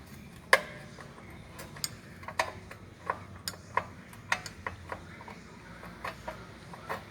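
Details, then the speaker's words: Mitsubishi ASX rear drum handbrake shoes, screwdriver through hole turning adjuster: sharp dry uneven clicks about two a second; normal star-wheel adjuster ratchet, turned until taut then backed off one or two clicks. "you'll actually hear it making a noise as you're turning it you can hear basically you're going to keep on adjusting until it gets taut"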